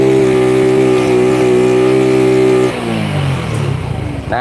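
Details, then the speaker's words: Old Honda Grand single-cylinder, freshly reassembled: under throttle it holds one flat pitch and won't climb higher, then drops back; engine will not rev past a ceiling, cause suspected but not confirmed. "kalian bisa lihat sendiri Ini motor itu mentok Dias gitu kan di gas"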